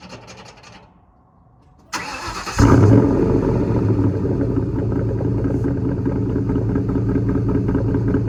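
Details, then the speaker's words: 2004 Ford Mustang Mach 1 V8, stock exhaust with Borla cat-back, cold start after sitting: starter cranks briefly, engine catches and settles into a fast, even, deep rumble, normal cold-start high idle; check engine light on for lean code. "So that's a cold start. Again, exhaust is all stock other than the Borla Capback, which actually sounds really good on a stock exhaust."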